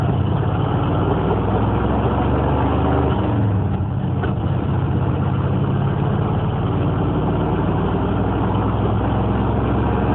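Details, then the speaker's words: Corvette Stingray V8 with Hypertech OBD tuning changing timing and engine parameters, idle adjusted: deep steady V8 burble, even lumpy pulse, no knocks or misses; normal idle. "but she sounds good i got her to find my idol right"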